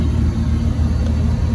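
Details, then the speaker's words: 1979 Bayliner vintage inboard, first run with water supply on and a rusted-off choke: deep, even low rumble, idle being lowered slightly; oil pressure good, charging, RPM gauge not working; idles fine. "Let's drop this idle down a smidgen. Still charging. RPM gauge is not working. But Pretty good. it's running. Sounds good."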